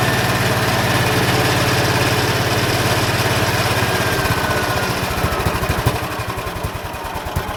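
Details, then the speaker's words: Ransomes MG5 crawler tractor, built about 1949, magneto ignition, first run after not running: old engine chugs steadily, then goes lumpy and hunts as it drops to idle; idle needs adjusting, cause unknown. "Need to fix that idle, I think, so. Anybody any ideas how you adjust these, tune them, tweak them, whatever, please feel free to comment."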